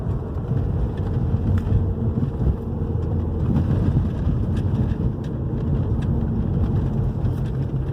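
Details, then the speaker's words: 2011 Hyundai i30 2.0 gasoline on a road test over the same irregular street after the stabilizer bar bushings and both links were replaced: steady road rumble and tyre hum with no clunks over bumps; the earlier knocking is gone. "Eh, já viram o comportamento do carro já mudou, ó, já parou o barulho, tá? Vocês verem uma simples beleta e bucha da barra estabilizador, o barulho forte que dá, né?"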